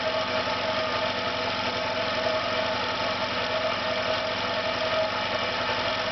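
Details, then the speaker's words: Failing air compressor on its second start, motor believed damaged and smelling of burnt plastic: steady drone with a faint knocking pulse and uneven, lumpy beat, vibrating and slowing as pressure stops rising. Rough-running compressor motor. "You can hear again it's not sounding round. Begins to vibrate a little bit."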